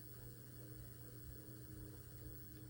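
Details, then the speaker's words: 2020 NordicTrack 1750 Commercial treadmill (model NTL14129.9) with a loud droning noise: motor run with belt disconnected and roller removed at speeds up to 6, only a faint steady low hum, no drone; normal motor run, noise blamed on roller bearings. "don't hear nothing there now let's crank it up to three nothing it would have made noise already and then let's go up to six and nothing there"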